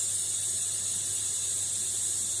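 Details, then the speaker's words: Steady, high, airy hiss of compressed air leaking past the old pneumatic control valve on a tyre changing machine, just after connecting it. "Okay, so it's all connected up. And I can hear it hissing, which is not nice at all."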